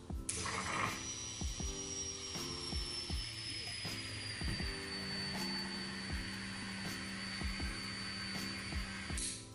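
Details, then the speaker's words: Fuel pump on a DIY injector flow bench for decapped LS truck injectors, first test with pressure gauge: steady electric hum with thin whine easing as pressure builds slowly to about 65 PSI; pump runs normally. "All right. It takes a little bit, but it gets gets up there. It's at about 65 PSI."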